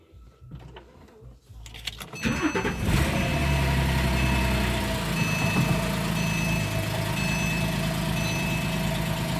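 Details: 2010 Porsche 997.2 911 Carrera S, 59,000 miles, lightly crashed: brief cranking, then it catches cleanly and settles into a steady, even idle with no knocks or misses; sounds healthy.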